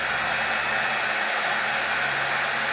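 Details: Oster hair dryer that would not turn on, after repairing a short in its wiring, tested on normal current while measuring amperage: steady, even airy whoosh with constant fan pitch, no cutting out or crackle; normal running.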